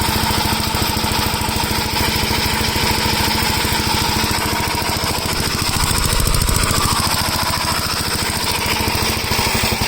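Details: Gravely L8 walk-behind single, bottom end previously locked up, started choked with a little throttle, wheels off the ground; steady, even putter about three and a half beats per second, holding speed smoothly; runs healthy.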